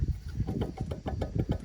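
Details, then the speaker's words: Cabover truck's removed 1.1-million-mile turbo, shaft rocked by hand showing side-to-side and in-out play; irregular rattling clunks and loose knocking. Worn-out turbo shaft bearings, turbo being replaced. "should be able to hear that it's not a happy camper"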